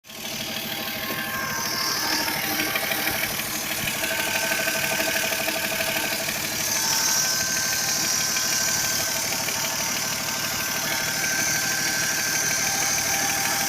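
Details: Toyota 2JZ-GE idling 300 km after a rebuild with all connecting rod bearings replaced (Taiho): a sharp metallic tapping about three times a second over a steady idle. Engine knock, cause unclear.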